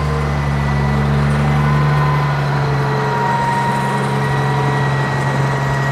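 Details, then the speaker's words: John Deere 544B wheel loader diesel, first start in 23 years using ether and new batteries; deep, steady rumble at an even idle with no knocks or misses: normal diesel running. "good i'm gonna try to bird all right wally good job buddy that thing come back to life roaring dude"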